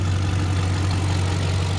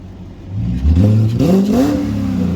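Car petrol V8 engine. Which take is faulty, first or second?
first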